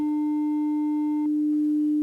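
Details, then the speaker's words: 300 Hz test tone on a Y-split to Behringer Xenyx and X32: steady, pure tone, clean and even with no buzz or grit; signal path passing audio properly again. "back to good again."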